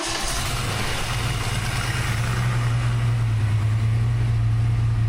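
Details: Freshly rebuilt 363 V8 in notch, new Diamond pistons replacing melted ones, Holley smart coil ignition, crank trigger, Terminator X EFI, just after first start: deep steady even rumble, no knocks or misses, no leaks.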